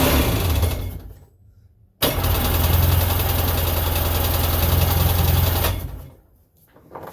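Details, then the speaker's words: 1999 Sea-Doo GTI two-stroke, single carb just rebuilt, new fuel lines: catches with a sudden roar on starting fluid, runs a few uneven smoky seconds, then fades and dies because the carb isn't yet getting gas. "okay fresh can of starting fluid and this one's not working oh okay here newer cam starting fluid see if we can get the fire"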